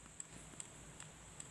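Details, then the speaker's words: Samsung original power supply kit with AC power applied: sharp even ticks about every 0.4 s over faint high whistle. SMPS hiccup. "यह देखिए दोस्तों यह जो है आवाज करो ठीक है कि आवाज है आप यहां सुन पा रहे होंगे ठीक ठीक ठीक ठीक कर रहा है ठीक है"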